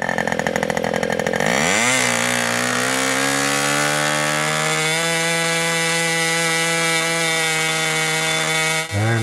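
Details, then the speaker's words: Old Austrian HP 61 two-stroke nitro RC airplane engine, high-speed needle being turned in to lean at full throttle: note rises steadily then holds a clean even high scream; healthy full-throttle running, leaned until sound changes. "but the engine will eventually start to make that difference sound i'm going to lean on it a little bit more and you'll hear that"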